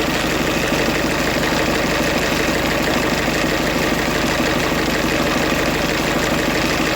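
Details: 2008 Ford Fiesta van 1.6 diesel with crank-no-start and P0698 sensor reference voltage code; running with a safety pin bridging the 5 V reference between the crank sensor and the EGR potentiometer. Steady clatter at an even idle, no misses or hunting. Normal idle.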